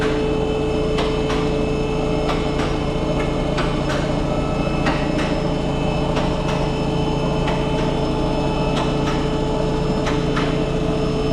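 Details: Audi A6 2.0 TDI diesel with 0B5 DSG automatic, on lift at idle: irregular sharp knocks about two a second over steady idle hum from engine-transmission bellhousing; worn dual mass flywheel, sometimes shakes car on start.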